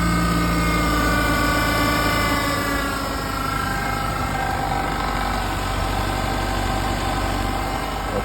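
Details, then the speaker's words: 1993 Ford Ranger 2.3L after replacing the noisy belt, the tensioner pulley and a second pulley, idling: steady, even smooth hum with no squeal, chirp or bearing rumble; belt drive now normal. "todo está funcionando muy bien ha dejado de hacer el ruido que estaba haciendo"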